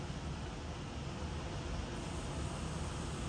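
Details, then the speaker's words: Electric fuel pump on a 1967 Ford Bronco that last ran 16 years ago, working after some persuasion: a steady low hum with an even, unbroken drone and no stutter; pump running normally. "does work I can hear it working"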